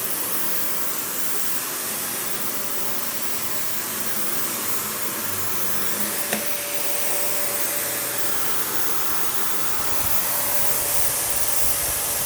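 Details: Panasonic upright vacuum, one of the last sold in the US market, with bare-floor switch, low-mounted power switch, auto height adjustment and brush roll that stops when upright: smooth constant airflow roar, steady motor whine, one brief tick, no knocking or grinding; normal running.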